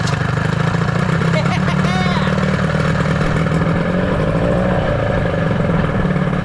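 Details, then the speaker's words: 1983 Evinrude two-stroke outboard, power unit running after flywheel work, lower unit not yet rebuilt, warmed up: steady, even buzz with quick regular firing beat, no misses or knocks; motor sounds good, normal running. "Dude, that motor sounds good. We need to rebuild the lower unit so that we can get it in some water."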